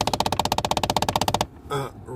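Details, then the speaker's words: 2011 Kia Optima 2.0 Turbo with AC on in recirculation mode, glovebox removed: rapid, even plastic knocking about fourteen a second from the failing recirculation door actuator behind the dash. "this thing is is making a a a noise when uh I put when I turn on the AC and I put the recirculation mode like this one right here"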